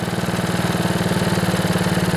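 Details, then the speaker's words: Older Honda Harmony HRB215 lawnmower engine, cold and idling with the choke off and the air filter removed after a carburetor clean; steady, even low putter with no misses or surging. "that sounds pretty good I'm gonna let it warm up a bit"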